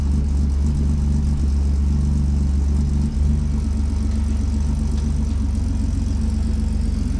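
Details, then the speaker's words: Stock 4.3L V6 with 700hp-plus injectors just installed and a new 16-inch electric puller fan, first start after the fix: starts almost immediately where it previously took a couple of revolutions, settling into a steady, even idle with no misses or knocks; normal idle. "okay well that cranked up really nice uh if you heard before it would you know it would take maybe a couple couple revolutions before it light off but that that time it kicked off like almost immediately"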